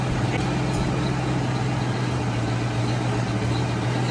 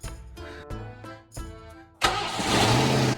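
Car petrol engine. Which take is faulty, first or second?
first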